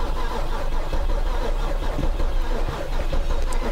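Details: Flood-damaged 2010 BMW 328 xi: heavy, labouring low churn as the starter turns the engine unevenly on a weak battery, never catching; engine sounds wrong, suspected poor compression and a dead engine, not confirmed.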